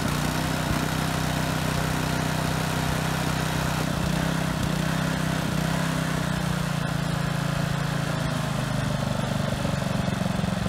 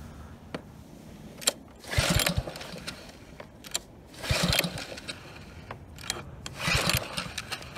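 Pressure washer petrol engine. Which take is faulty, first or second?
second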